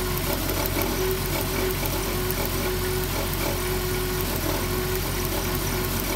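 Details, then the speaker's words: 2007 Dodge Grand Caravan idling rough: uneven stumbling beat with occasional miss under the drone; misfire from a spark plug wire's damaged boot arcing to the block. "oh it's a plug wire look at that see that hogwired arcing the boots damaged"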